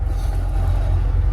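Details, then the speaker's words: An Acura Integra being driven after a new wheel bearing was installed: steady low engine and road rumble with no growl or hum rising with speed. The bearing noise is gone. "wise but I'm so happy there's no more noise I'm gonna go to the poles here and there so y'all can see that there's no more noise"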